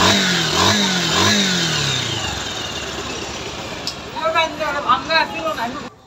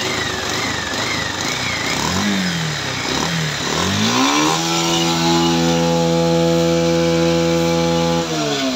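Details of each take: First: 2019 Bajaj Pulsar 150 UG5 after repair of CDI-related RPM problem: engine catches and revs up and down smoothly, cleanly, without misfire or rattle; bike now runs properly. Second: Bajaj Pulsar 150 UG5, 2019 model: revs hunt and waver unevenly then settle to a flat rough tone that won't climb cleanly; found a local copy CDI with bypassed high/low spark plug lines.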